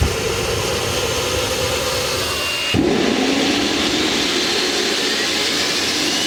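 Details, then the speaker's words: Rover gas turbine, not run for a while, cranked by KC-135 pneumatic starter: heavy air hiss and rising whine but no ignition roar; fails to start, owner suspects electrical fault or high-pressure shut-off valve closing. "well folks that was all a bit disappointing anyway we packed everything away and uh i'll just have to try again the rover unfortunately refused to play ball today"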